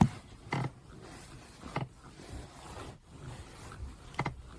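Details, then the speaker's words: Geely Panda Mini EV driver's seat: three short low creaks as weight shifts back, new since a 4S-shop mechanic pressed his elbow on it buckling the seatbelt during AC repair; owner suspects the four mounting bolts or seat itself, unconfirmed. "感觉这个声音像从这个地方出来的啊，就是肘子被他们顶了一下就有这个声音了。"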